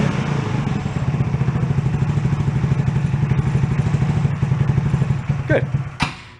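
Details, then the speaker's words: Two-passenger CVT ATV, about 150cc, after sitting, serviced with fresh fuel, air cleaner loose, warming a couple of minutes: steady quick putter at fairly even idle, couple of clunks near end; idle probably needs adjusting. "Probably got to dial in that idle a little bit too, but that's been running a couple of minutes."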